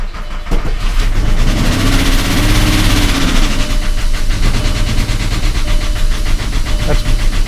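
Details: 2001 Volkswagen Jetta VR6 with an unexplained engine knock: uneven, clattery idle with a diesel-like knock that rises and settles briefly; runs better after the repair work but is still rough, cause unclear.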